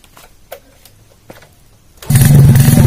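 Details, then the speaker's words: Freshly built semi-racing Honda C-series motorcycle engine (Jupiter piston, BRT T1 camshaft, double-row ball bearings, stock carburetor, ignition advanced 15°) fitted in a borrowed Astrea, first test start: fires and settles into an even, deep low thump with no knocks; normal running. "Oke jadi seperti itu Sampai semua respon gasnya itu sangat responsif pengapiannya saya maju kalimat 15° dan mesin ini enak sekali"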